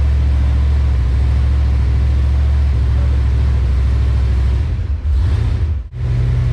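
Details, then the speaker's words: Engine-swapped car after fitting new plugs and new wires and sorting the transmission: a steady, even engine note with a deep smooth drone and no skips or stumbles. It is running clean on all cylinders, though it still needs a re-tune. "i hope everybody can hear the difference like i said guys that's it super super excited"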